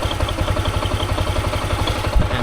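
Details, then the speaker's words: Honda Giorno scooter with block upgraded to 160cc, no mic, just after start: quiet, evenly spaced low putter at settled idle, no knocks or rattles; normal idle. "Sa una, iingay siya like for 1-2 seconds, ganyan. Then biglang tatahimik na siyang"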